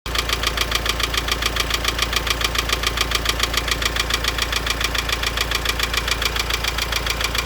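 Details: Renault Laguna 2.0 dCi diesel at idle: sharp, evenly spaced knocks about 3.5 per second over the idle, harsher than normal diesel clatter; engine knocking, cause unknown.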